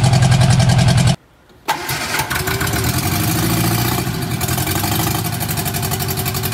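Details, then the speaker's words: Barn-find Austin-Healey Sprite, fuel from a jug, ignition hot-wired from the battery, chokes held, only exhaust manifold fitted: rough idle, brief silence as the ignition lead shook off, then catches and runs steadily with a light throttle blip; running fine. "and it's idling on a job now [Music] actually it sounds not too bad it does not have any exhaust on it right now it just has just the exhaust manifold"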